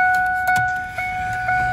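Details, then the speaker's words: 2002 Ford F-150, key out, wipers off: clear steady ding repeating about twice a second, radio staying on; chime stuck on, traced to a fault in the wiper circuit, not the ignition switch. "notice right now it's just ding ding ding ding ding a perfect little harmony the wipers are off"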